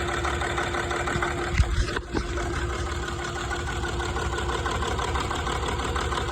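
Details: Land Rover TDV6 diesel at idle: uneven, lumpy low thrum that stumbles rather than holding a smooth beat; rough idle, cause not yet known.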